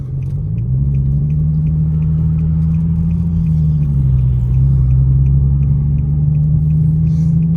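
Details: Infiniti G37xs driving at road speed with a low tire: deep drone shifting with speed and faint ticking about three per second; bad front wheel bearing and mangled, worn CV axle.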